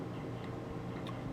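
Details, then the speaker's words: HP Compaq Mini CQ10 netbook (Intel Atom, 1 GB DDR2, ~2010–11) with 160 GB laptop hard drive: faint sparse ticks over low hum as the spindle stops and heads park under minimum Advanced Power Management setting. "шпиндель останавливается по головке паркуются и вот как раз когда они делают это издается этот стук"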